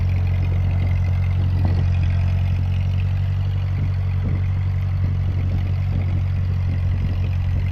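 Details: Ford 8N tractor, hot engine, after replacing cheap Chinese carb (sputtered uphill) with old Marvel-Schebler: steady, even low chug with no stumbling or surging; runs smooth and healthy, normal running.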